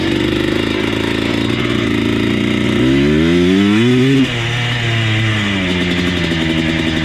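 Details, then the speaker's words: Yamaha Blaster 200 two-stroke ATV after fitting a replacement spring clip: ragged, stumbling note wavering as revs rise and fall, not throttle dependent; running rough, owner suspects cheap Chinese ignition parts, not carburetor. "I think that's cheap Chinese ignition parts. Now it runs like shit."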